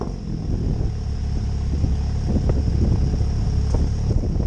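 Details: MK7 Golf GTI Performance Pack, first start after middle-box resonator delete (rear box kept); deep throaty exhaust settles to a steady idle with a couple of quick clean revs; normal start and throttle blips.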